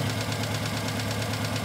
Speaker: okay we're running on three cylinders here we go let me get that puppy